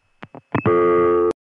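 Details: Call through the 1981 Olney, Illinois senderized step-by-step tandem after ring-forward: a few switch clicks, then a short steady two-note tone as the call times out to reorder with the line left off-hook.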